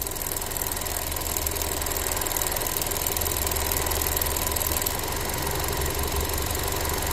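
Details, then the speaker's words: Ford Transit Connect that dies randomly, cold idle while warming up: fast steady ticking about three a second as the weak purge valve chatters and hangs open when it should be off; purge valve needs replacing. "stuck again it won't turn on it stays hung open over and over and over again you hear it it's spurting cu the valve is weak it's no good it needs to be replaced"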